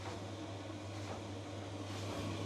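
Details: Newer-model Electrolux 7kg clothes dryer after a drum belt replacement: a quiet, steady low hum with a soft, even rumble and no knocks or squeals; the drum turns normally.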